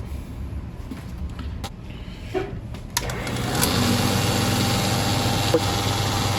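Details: Valve grinder running after a fabricated recirculation oil pan and system repair: handling clatter, then the motor starts and settles into an even, steady whirr with no grinding or knocking, with oil flowing as intended; normal running.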